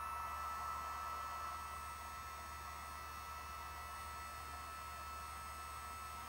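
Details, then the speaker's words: Gen1 BioLite CampStove after battery replacement (old battery dead after attic heat storage): small fan running with soft even hum and faint steady high tone, no surges. "seem to be functioning as normal"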